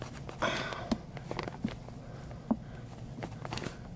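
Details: Footsteps thud softly across a wooden kitchen floor with no squeak or creak, after driving a wedge and scrap-wood block into the gap between joist and floorboard about a foot and a half from the air duct vent.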